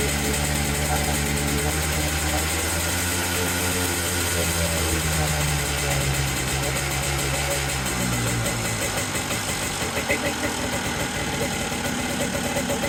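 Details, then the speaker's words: Hard-used Yamaha Blaster two-stroke quad after correcting a backed-out throttle cable adjustment: settles into a steady even idle with a fan droning behind it. Transmission seal still leaking oil. Normal idle. "all right that was it very good okay uh it's still dumping oil out of that transmission seal so I have yet to figure that out but it now runs and throttles and Idols which is really dope"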